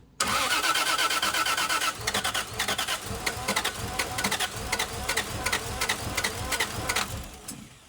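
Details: 2JZ-swapped Hellcat, new motor on pump gas rather than ethanol: slow, uneven cranking at about three beats a second that never catches. Crank, no start; the starter isn't getting enough current through its supply wire, which was fixed later.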